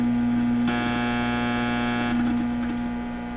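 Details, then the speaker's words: Hallicrafters TW2000 World Wide radio under repair, powered from external bench supplies: steady low hum with a brief higher buzz, mains hum traced to a hummy external power supply feeding the B+ and heaters. "So one of these supplies is really hummy. I think that's the situation."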